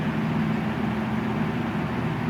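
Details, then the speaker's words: 2015 Toyota Tacoma TRD Off-Road V6 Double Cab in park, engine idling with rumble underneath, box fan powered from the truck's 400 W power inverter; steady even fan motor hum, no rattle or surging; normal running. "and as you can hear motor sounds perfectly healthy on so I thought that was pretty neat"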